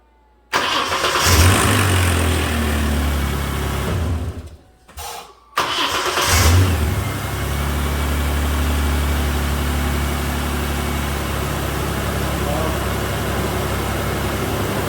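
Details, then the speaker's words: 2007 Mazda B4000 automatic in park after installing a new starter with cleaned mounting surfaces and eyelet, ring gear teeth checked good: brief even crank catches quickly into a rev, second start settles to smooth idle; fixed. "it. We'll call this one fixed."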